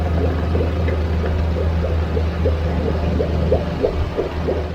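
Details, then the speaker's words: Suzuki DF30A outboard after service, warm after nearly 10 minutes, temperature 147°F after peaking at 160 as thermostat opened, no leaks: low steady hum with light repeating tick, no hunting or stumbling; normal warm idle. "engine's been running for about, I'd say a little less than 10 minutes right now."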